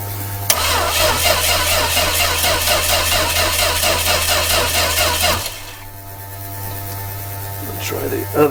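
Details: 1966 Dodge A100 van, 225 CI Slant Six, first start after a long hiatus with fuel dribbled into the carburettor: starter spins the engine at a steady even beat for about five seconds but never fires.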